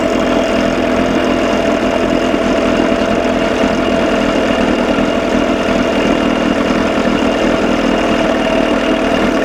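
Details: 1987 Johnson 6 hp outboard after carburetor linkage fix; smooth even buzzy idle with no misses or surges, running clean; sounds good but runs too cold, owner hears a noise he suspects is something loose.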